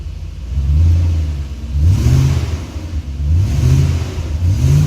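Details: BMW E38 740iL V8, second run after sitting out 4 years, vacuum leak fixed: deep rumble rising and falling in smooth revving blips about every 1.5 seconds, no hiss or stumble; normal running.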